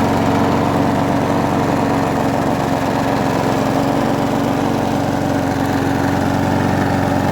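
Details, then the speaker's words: Abandoned Huskee XT650 mower, tied down, run after a part was reseated with its gasket and threads cleaned: steady, even single-cylinder putter at constant speed, no misses or knocks; idles smoothly and healthy. "So let's just start it up. I've already got this tied down so I don't have to hold it. Pretty good, actually."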